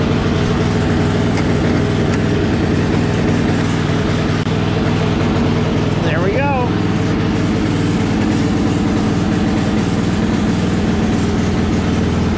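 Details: Riding mower engine idling after replacing a leaking oil seal and starting with throttle and choke: an even, low engine chug with no knocks or misses, running smoothly.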